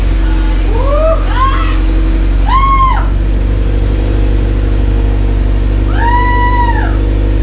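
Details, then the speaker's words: Evo X engine, sitting on a shelf over 10 years, just swapped into the car and started for the first time: steady, even low hum with no knocks or misses; idles smoothly and sounds healthy. "indeed after more than 10 years of this mortar just sitting on a shelf we were able to bring it back to life and not just the motor but maybe even this evil 10."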